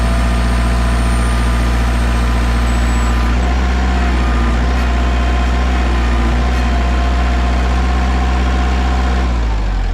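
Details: Warmed-up 2002 Kubota MX5000 DT tractor, about 960 hours, after a new hydraulic filter cured a squealing pump and dead, jerking hydraulics: diesel holds a steady, deep drone at raised revs with no pump squeal or whine; hydraulics normal.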